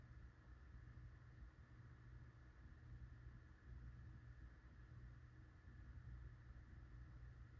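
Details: Litex Starlite ceiling fan dated February 1990, 16-pole motor, four blades, on low: low steady hum with a faint rumble and thin tone above it, running slow; under 400 rpm on high (about 385 versus 450 max), owner suspects bad bearings.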